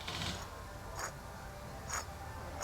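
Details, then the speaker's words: 2011 Subaru Outback wheel bearing, removed and spun by hand: rough tick about once a second over a faint grinding rumble from a bad bearing, after customer reported wheel bearing noise while driving; replaced. "One bad wheel bearing."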